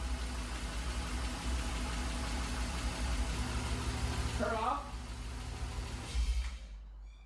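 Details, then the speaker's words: BMW E30 at first fire-up after cooling system repair, coolant still being bled: brief crank, then a steady, even low idle with no knocks or misses; normal start and idle. "Ooh, sounds good."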